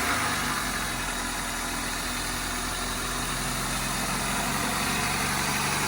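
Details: Honda Civic four-cylinder petrol, first start after RTV and a homemade replacement paper gasket: steady, even idle with a smooth rhythm, no knocks, ticks or stumbles; healthy, with no oil leaks or weeping seen.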